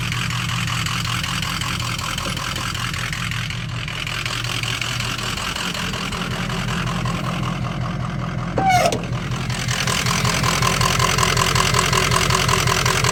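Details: Ford 6.0 Powerstroke diesel idling with a lumpy, uneven knock about three beats a second that keeps stumbling; rough idle, owner suspects a bad ICP sensor, unconfirmed.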